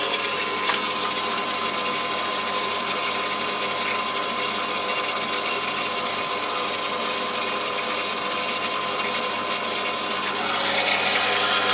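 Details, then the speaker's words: Borehole water system pressure pump in a house in Portugal, running while filling the attic tank: even hiss and whir at constant pitch, no knocking or surging. Former leak now largely sealed by mineral deposits, still slightly wet. "So currently the upstairs tank in the attic is filling, that's why the pump is running."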